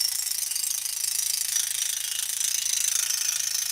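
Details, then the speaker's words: Scroll saw cutting a large piece, about 37 by 23 7/8 inches, steered by its outside edge with the hands far from the blade. Fast, harsh rattling rides over the cutting buzz: the unsupported workpiece is chattering. "And the reason why that's chattering so much is because my hands aren't near the blade stabilizing the piece."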